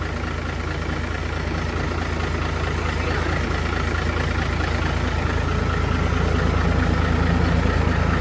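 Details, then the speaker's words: Diesel engine idling after fuel system flushed of dirt/debris and fuel lines bled (weak power); deep, steady even idle about three beats per second, no stumbles or knocks; fuel now flows freely, runs healthy. "เครื่องเราจัดให้แล้วน้องเฟิร์สมาล้างน้ำมันเดินสะดวกเลยครับแบบนี้ช่างเราจัดให้แรงเลยนะพี่พี่ว่าแรงขึ้นไงน้ำมันเดินสะดวก"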